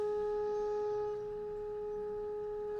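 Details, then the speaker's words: Bush TR82DL MW/LW vintage radio fed a modulated test signal near 1 MHz on medium wave: pure steady test tone, clean over a quiet background, no crackle or distortion; receiving properly. "It's not bad, is it? Pretty good."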